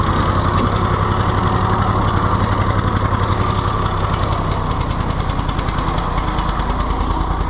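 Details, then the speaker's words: Rusty, neglected auction-bought Ford 4000 three-cylinder tractor just started: ragged, uneven chug at steady speed with no pickup; runs rough, governor not answering, no throttle action. "something is seriously wrong with our governor Lincoln we have like no throttle action of any kind"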